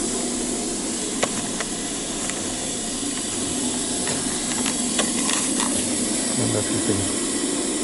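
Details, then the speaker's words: Freight train air brakes releasing before departure after backing up: a steady rushing air hiss with faint clanks, and no slack banging as it starts rolling; normal release. "So let's see if we hear an okay for us now. Oh, I can hear the brakes releasing."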